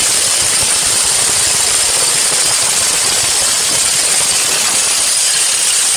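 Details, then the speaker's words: Toyota Fortuner diesel at idle; a thin, high-pitched squeak over the idle, from the failing alternator one-way (overrunning) clutch pulley. "Nó kêu két két két thôi các bạn. Thì mấy cái dòng xe máy dầu á, cái mấy cái đầu dynamo á, nó hay bị hỏng cái con bu ly tự động các bạn."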